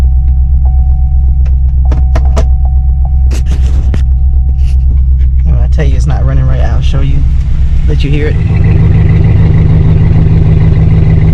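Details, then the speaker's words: 2008 GMC Sierra V8 with P0300 random misfire code, no codes stored at start; low lumpy idle about four beats per second, a cylinder intermittently dropping out; cause not found. "it's skipping it's missing on a cylinder and there we go"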